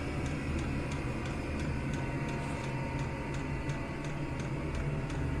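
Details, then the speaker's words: Chinese mini diesel air heater running on setting two of six after warming up: the dosing pump gives crisp, evenly spaced ticks, about three a second, over a soft fan hum. The ticking has slowed from its faster start-up pulsing. Normal steady fuel pump. "and that'll just tick away nicely on on setting two all day"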